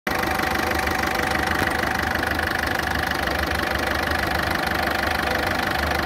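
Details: Ford Fiesta at idle, loud rough engine with a fast, fairly even tick about three per second riding over it; cause not pinned down.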